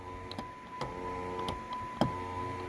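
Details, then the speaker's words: 2007–2012 Dodge Caliber door after a power window repair: something popped, then a thin steady motor whine with light ticks about every half second and no window movement; the motor runs freely, detached from the regulator, which did not break. "Something popped and the window motor is running. It sounds like the regulator just broke after all this."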